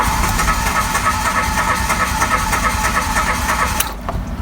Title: HARD STARTING. AYAW MAG START ANG OTO? BRAND NEW CAR PERO HARD STARTING?